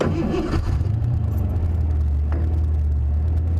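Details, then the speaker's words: Mercury Cougar V8 with 216k-plus miles pulls away after the misfire repair, steady even low rumble with no stumble; running smooth. The plug showed oil deposits, so the owner suspects a valve-train issue. "she's running real smooth now she's running nice and smooth"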